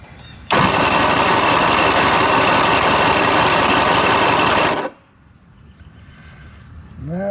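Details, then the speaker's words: Mid-1990s Mercury 115hp inline-4 two-stroke outboard on a Ranger bass boat, with a loss-of-power complaint, cranking during a compression test with the key off: even beats of about three per second. Readings were 135 on the middle cylinders and 130 on the top and bottom; good compression. "So, our two middle ones 135. Top one and the bottom one 130. So, we know it's got good compression."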